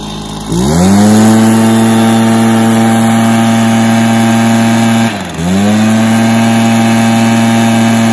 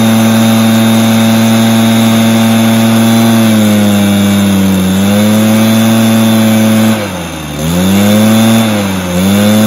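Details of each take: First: Stihl BR430 backpack blower, previously bogging down and now fixed with an easy fix: the engine catches, climbs to a clean steady high whine, dips briefly and recovers smoothly, and revs out evenly. It starts and runs well and sounds healthy. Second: Stihl BR430 two-stroke backpack blower: steady high revs, each throttle blip sags and drops in pitch before recovering, runs better with some choke; bogging on acceleration, carburetor issue suspected, piston damage possible.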